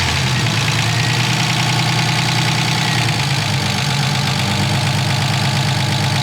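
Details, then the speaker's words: BMW E36 with freshly built engine, first start-up after the swap, idling: loud, uneven tapping over a steady idle, unchanged with load; owners suspect one hydraulic lifter that hasn't bled out. "Yeah, it's gotta be just one lifter that hasn't bled out. It's just really loud, bouncing up and down."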